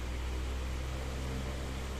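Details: Remote-controlled Miyako fan after servicing the remote control module (module powered at about 4–5 V), running on high speed: steady, even low hum with smooth rushing air, no rattles or wobble; fan motor spinning fast and healthy.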